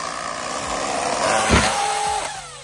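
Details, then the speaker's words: Traxxas UDR RC truck with brushless motor after a few jumps: ragged metallic slapping and clatter over motor whine as it revs; drivetrain broken, loss of power to ground. "so after a few jumps UDR already broke sounds like a two stroke oh it just sounds so bad it sounds so bad it's just metal slapping each"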